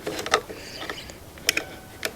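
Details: Wrecked 1996 Harley-Davidson Sportster 1200: a few sharp dry clicks with nothing turning over; starter not cranking, apparently because power dropped out at a loose connection, restored once contact was re-made.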